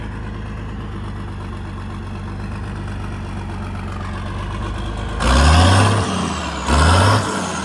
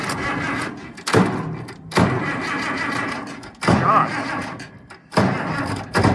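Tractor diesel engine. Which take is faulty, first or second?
second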